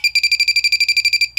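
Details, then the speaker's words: Cheap halogen refrigerant leak detector, no gas present: fast high-pitched beeping about twelve a second, pause, one more chirp; false alarm from probe touching steel, not a leak. "If you touch steel though, you're gonna have it's gonna set off a warning."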